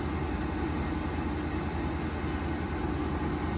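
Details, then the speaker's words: Vevor diesel heater after a degraded-fuel drain, running with the blower at full speed: a low, steady burner and fan drone with no surging or sputtering. It later ran 3.5 hours, raising the interior from 50 to 56 degrees. Normal operation. "All right, well, this is up and running. I'm going to let it do its thing."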